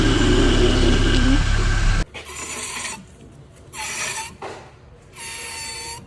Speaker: El primero es el ruido de las pastillas de freno desgastadas. Se escucha un agudo rose de metal de metal constantemente cuando vas circulando, pero la mayoría de las ocasiones cuando pisas el freno.